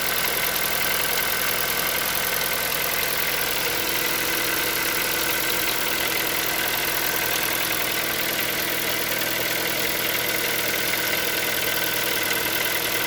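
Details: Hyundai Solaris 1.6 cold start: fast, busy ticking knock about three beats per second over a steady engine at cold idle; engine knock when cold, cause unknown.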